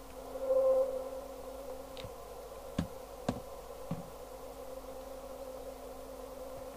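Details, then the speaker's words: 1973 Pye Westminster W15AM all-transistor single-channel 5W AM business radio on the 4M band (70.26 MHz), volume up with nothing connected. A steady musical whistle (~550 Hz) under the hiss comes from the IF trimmer being off frequency, causing a heterodyne; adjusting the trimmer clears it. "now I'm going to turn the volume up so you can hear the musical not I've not even got anything plugged in but I can hear"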